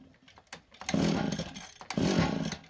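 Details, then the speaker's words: Free STIHL FS 80R trimmer with decent compression, choked and primed, then off choke: two short rough wet sputtering bursts that catch and die, smelling of fuel and running extremely rich; owner suspects the carburetor needle and seat not holding, flooding the cylinder. "I can smell fuel um I wonder if the needle seat and the carburetor is not holding and it's overring the fuel that's in this your cylinder"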